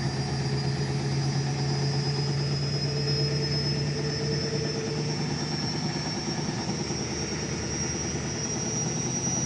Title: Indesit Mega Unbalanced Final Spin Ramping up 0-1000 (Bad Bearings)